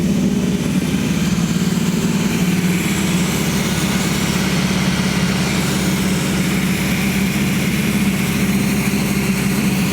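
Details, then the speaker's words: Freshly rebuilt V8 in a 1979 GMC C35 at first fire-up, held at high RPM for the 30-minute flat-tappet cam break-in: a steady, smooth fast idle with no clicking or knocking. Healthy. "No clicking, no knocking. Sounds really, really smooth."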